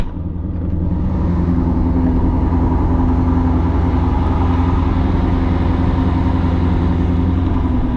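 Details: 2002 Chevrolet Corvette C5 Z06, LS6 V8, about 65k miles (unsure), just started and warming up: deep steady V8 rumble settling into an even smooth idle, no ticks or misses; healthy normal idle.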